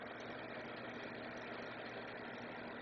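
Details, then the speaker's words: LifeSmart Renew PTC ceramic heater (sold as infrared) at switch-on: steady, even fan whoosh with two relays clicking in as the elements warm, drawing about five amps. Normal operation. "So, they both kicked on pretty quick together. The fan and you could hear the two relays kicking in and we're pulling uh it's warming them up."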